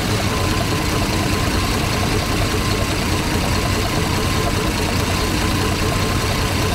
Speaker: sounding a hell of a lot better now that Flex Plate's bolted up all the bolts released